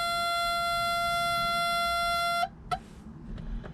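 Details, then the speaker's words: 1986 Suzuki Samurai turbo diesel; glow plug warm-up buzzer holds a steady high buzz about two and a half seconds then cuts off before cranking. "get the glow plugs i usually hold it till the buzzer turns off"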